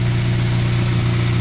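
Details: Turbo Honda making 300 lb-ft of torque, idling after an earlier smoking-and-dying episode blamed on a suspected piston or ring problem; smooth, even idle with a steady low hum and no stumbles or misses, engine running cleanly.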